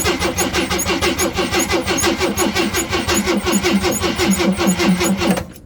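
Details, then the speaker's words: 1979 AMC Jeep J10 with 258 inline six, gas can fed directly to the fuel pump, third attempt: steady rhythmic cranking about three turns a second, never fires; no fuel picked up yet, owner suspects a vacuum leak. "Alright, attempt 3. I'm going to crank it over until hopefully it picks up fuel."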